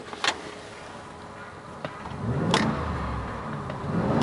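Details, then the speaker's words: Low-mile 8.1L big-block V8 4WD Suburban LT, lifted 6 inches on 35-inch tires: deep, steady low idle rumble with a few light clicks; sounds smooth and healthy, normal idle. "you can hear the engine sounds absolutely amazing this is a really nice truck to drive"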